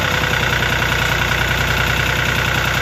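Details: Lister ST3 three-cylinder air-cooled diesel on an old sewer jetter, first start after purchase, cranked without decompression: steady even clatter around two and a half knocks a second, no misses; healthy idle.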